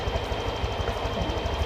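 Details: Honda automatic scooter (Vario 125/150) after idle screw adjustment, about 1,500–1,700 rpm target: small single thumps evenly at steady idle, no misses or surging; normal idle.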